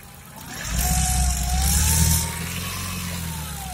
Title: صوت مزعج رعشه في المحرك صوت خرره عند الدعس على البنزين@mecaniquemokhtartunsie